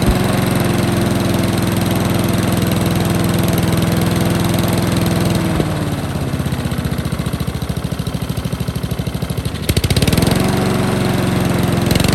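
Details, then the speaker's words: Discarded Honda lawn mower at full throttle, where the choke should close but isn't: runs steady, then sags and stumbles unevenly before recovering. A blocked carburettor jet was suspected. "whereas technically that should be Full Throttle it's almost like the choke isn't working"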